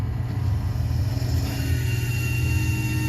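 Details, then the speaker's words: Walk-in freezer that had been down since the night before, low on refrigerant with hissing; rooftop compressor gives a deep steady rumble with a faint thin tone, section feels warm; suspected failing compressor, later replaced with fan motor. "you can hear a rumble up on the roof - and that section of mine feels pretty warm - so a bad feeling about this compressor"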